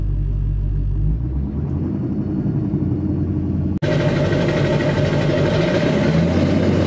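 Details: 2002 Chevy 2500HD LB7 Duramax diesel at 5°F, Airdog lift pump, PPE boost valve, resonator delete; deep cold-idle rumble stepping up to steady even fast idle via Merchant high idle, no knocks or misses — normal.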